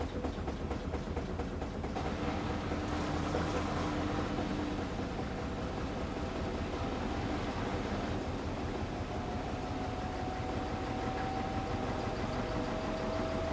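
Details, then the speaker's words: Washing machine spinning a load of trainers at the lower selected 400 RPM: steady low drum rumble with a faint soft thump about twice a second and no hard banging. Less noise than at higher speed, an even, quiet low-speed spin. "So as you can hear there, the spin was lower at 400 RPM, and as you can hear there was less noise, less banging on the lower 400 RPM selected."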